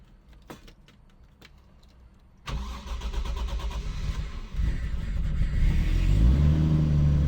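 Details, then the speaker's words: 300,000-mile chassis, bigger Aeromotive fuel pump, possibly a 340, and return line: quick crank, catches at once and settles into a steady, even rumble; clean healthy start. "Fires right up."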